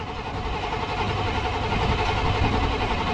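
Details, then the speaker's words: Chevy Suburban with TBI fuel injection and a hot-start problem: continuous rough starter churning at about 3.5 beats a second, a long crank before it fires; extended cranking, owner suspects a weak fuel pump. "It does start. It's just, it takes forever for it to get pressure. Come on. There it goes. Yep, see? Yep. I think we got a weak pump or something else going on."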